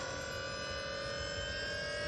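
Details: AU Falcon fitted with a converted Astra TRW electric power steering pump, first test run: steady, even electric hum with constant tone, no grinding or whine changes; pump runs smoothly.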